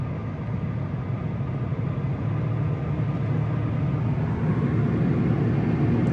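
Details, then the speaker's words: Steady low road rumble building gently with speed, no droning roar, while driving a 2013 Subaru BRZ after replacing the left rear wheel hub bearing assembly that was roaring; bearing sounds healthy. "no more roaring noise"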